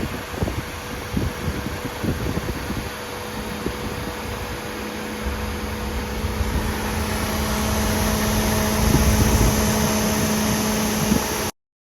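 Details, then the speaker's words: 2005 Suzuki Alto, about 147,000 km, after washing: radiator fan runs continuously from ignition on, steady whir that never cycles off; relay connector pins found overheated and melted, faulty ECM diagnosed and replaced. "സംഭവം ശരിയാ കേട്ടോ ignition on ചെയ്യുമ്പോഴേക്കും automatic ആയിട്ട് fan കറങ്ങി കൊണ്ടിരിക്കുകയാണ്"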